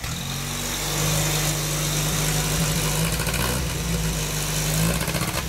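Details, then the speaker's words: 1202 STW old petrol engine, just started after fresh petrol was added: it settles into a steady, slightly uneven idle with a low hum and is running fine. Normal idle. "Už bafe. Ta šlape."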